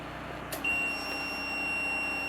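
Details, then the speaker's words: SNRE solar inverter charging from a generator with the battery around 50–52 V: a quiet hum, then a sudden steady high-pitched warning beep. The owner suspects the battery is near its low-voltage cutoff or the generator is cycling; unconfirmed. "I think the beep is something I didn't hear before, that warning, and I think because it's very close to its low voltage cutoff."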